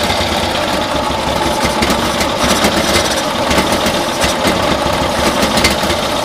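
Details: 1972 Cushman Truckster pickup, new carburetor and vacuum manifold fitted, same issue: uneven stumbling beat with irregular pops, misfiring as rpm increases; idles better now; spark then compression to be checked, owner suspects timing.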